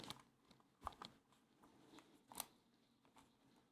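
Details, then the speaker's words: Logitech G203 mouse after reassembly with its squeak fix: squeezed hard close to the mic, it gives only soft scattered clicks and taps with no squeak or creak at all. "nope no squeakiness that's it this mouse feels in the hands like it's three times more expensive than it was"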